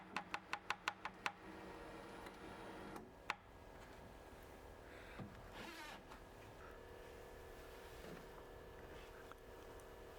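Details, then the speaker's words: Bambu Lab H2D 3D printer Z threaded rod after wiping off dirt during monthly maintenance: soft smooth motor hum as the bed moves, crackling from dirty threads gone; normal lead screw motion. "Tôi sẽ lặp lại việc làm sạch cho đến khi không còn tiếng rít nữa. Bạn không còn nghe thấy tiếng ren nữa, vậy nên việc này đang gần xong."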